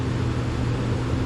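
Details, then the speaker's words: Trane XE 90 furnace/AC system after replacing the control board with a White-Rodgers 50A55-843; air conditioner running with fan on, a steady low hum with airflow and no knocks, rattles or squeals, normal operation. "Yeah, I can hear the air conditioner running. Fan cut on. Screen turns blue."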